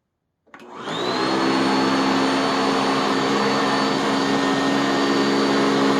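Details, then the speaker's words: Sanitaire SC679K upright vacuum, very first run after assembly, on position 3 over clean carpet, with thick shakeout bag: fast spin-up to steady even high whine and smooth hum, no rattles or surging; normal running. "Yeah, sounds like a Sanitaire. What can I say?"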